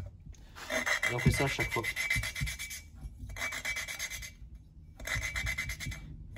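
Gritty rasping in back-and-forth bursts, about three strokes a second with short pauses; the lapping paste is still cutting the seat.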